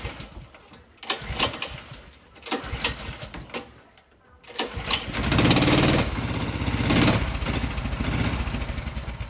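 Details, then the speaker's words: Honda GX 270cc single-cylinder kart engine after restoration/repair: a few pull-start tries, then catches and settles into a steady, even run with no knocks; healthy. "Ah, puis là, je vous mets une petite vidéo aussi du Belly réparé. Enfin, réparé avec un moteur qui fonctionne, quoi."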